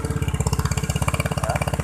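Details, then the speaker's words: Used scooter (Vario/Mio/Beat/Scoopy type) idling after electric start during pre-purchase check: even, steady idle thump about fifteen pulses a second, no misses, stumbles or rattles; engine idles normally, not rough. "Kemudian dengarkan suara mesinnya teman-teman, apakah dia ngopot atau enggak ya, bisa dilihat di sininya ya."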